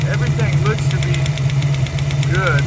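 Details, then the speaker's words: 1965 Ford Mustang 289 V8 at idle: a fast, light tapping keeps time with engine speed; valve train tick, with play in the rockers, so the valves need adjusting. "All right, we finally got this thing idling. And listening to it, I really do think it is a valve train."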